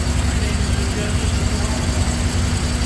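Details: 1971 fuel-injected V12 Jaguar E-Type XKE, first start after a two-year rebuild, throttle body unadjusted: deep lumpy uneven idle, rough running because three injectors were not connected; smooth once they were connected.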